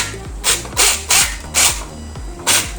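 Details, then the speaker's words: WLtoys 144001 RC car drivetrain revved: harsh, gritty rasping bursts about twice a second from rear or front differential gears, a grinding sound common when new; fixed by replacing the differential and adding gear grease. "Nah, dia bunyi kasar macam tu. Sepatutnya dia tidak bunyi macam gitu."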